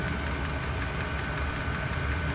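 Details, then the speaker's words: Chinese diesel heater after disassembly and cleaning for water ingress that had stopped it igniting, now hot, burning off cleaner: steady fan hum with light, even ticking from the dosing pump several times a second; normal running. "pump is kicking away you can hear it"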